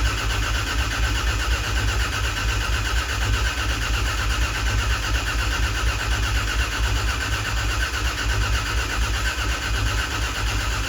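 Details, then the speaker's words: Freshly rebuilt Toyota 2JZ in a Corolla wagon, cranked unprimed with cam and crank angle sensors unplugged to build oil pressure; steady, even starter cranking, no firing or knocking, healthy. "Cam and crank angle sensor are unplugged currently, so yeah, we should just be able to crank it over and make oil pressure after about 15 to 20 seconds, I hope."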